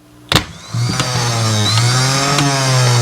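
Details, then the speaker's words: Starter motor from a 1970 American Eagle 750GT, removed and bench-tested off a jump box: a sharp click, then a steady, even electric whine for over two seconds, a healthy starter. "Sounds like it works."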